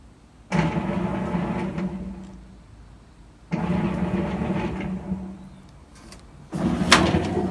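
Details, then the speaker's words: GE/Hotpoint top-load washer in diagnostic test mode after drive belt replacement (oily belt, drum parts cleaned); motor hum bursts coast down smoothly, basket spins up normally with no grinding or slipping; belt was the likely fault. "Yep, it's spinning. Yep. So I think the problem with this machine was the belt."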